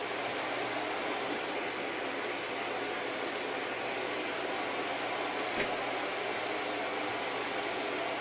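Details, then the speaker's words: Packard Bell iMedia S3720 desktop at power-on with a steady loud rushing roar from a small, about 80 mm fan and a low hum; something inside likely disconnected or faulty; loud fan roar. "so something's not happy inside it's out it's very loud and I'm surprised at how much air that little fan is shifting"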